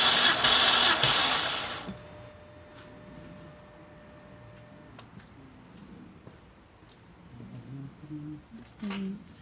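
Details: BMW 325i E90 N52 engine that burns oil, compression retest on cylinder 1 cranked about ten times. Two seconds of quick, even cranking with steady compression beats and no skipped strokes. Reading went even higher, healthy.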